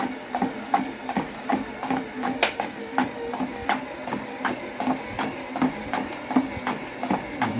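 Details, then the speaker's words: Torneo Inita T-150 treadmill after tightening all deck bolts that caused a left-side squeak: soft motor hum under steady footfalls about 80 per minute, sole contact audible, no squeaks or creaks; repaired, running quietly. "вот подтянул все болты вот этого противного скрипа нет вообще слышен мотора достаточно"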